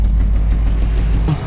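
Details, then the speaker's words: V8 idling low and rough with an uneven, stumbling pulse before injector rebuild; misfire suspected from fuel injection or an ignition coil, unplugging injectors changes the running, notably cylinder four. "so we are over here and we're going to try and diagnose what is wrong with the fuel injection or a ignition coil but you hear the misfire"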